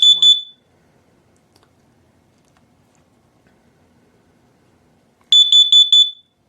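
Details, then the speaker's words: Kidde AA battery-powered carbon monoxide alarm on test-reset gives short, loud bursts of shrill beeps, about four pips per burst with quiet between; normal self-test. "It it does kind of reset, but it also chirps so you can hear what the chirping sounds like. Uh, it's actually it's actually pretty loud"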